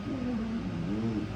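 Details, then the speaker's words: Chinese diesel heater on waste oil plus diesel, gas now under 10 percent, out of Alpine mode at H4 reaching 180°C: steady even roar, soft low rumble, the earlier air-starved vibrating sound gone for good; normal burner operation. "but I know that I'm under 10. and that sound is gone it is gone and never came back"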